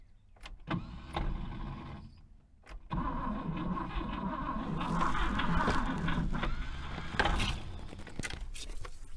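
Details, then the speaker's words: 1964 Buick Riviera that sat 23 years in a field. Stop-start cranking bursts where the engine starts to catch, then the starter spins free and drops out; the bendix disconnects as soon as it fires. "all right as soon as it fires a little bit the the vendex on the starter disconnects"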